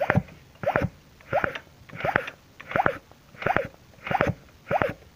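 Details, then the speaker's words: Yamaha F1ZR 110 two-stroke with weak low-end pull, mic near the front of the engine block and magneto side: steady hissing, whistling puffs about 85 a minute; crankcase compression leaking past the crankshaft seal. "sudah 100% kerusakan berada pada Sil kruk as jadi kompresinya bocor kesini"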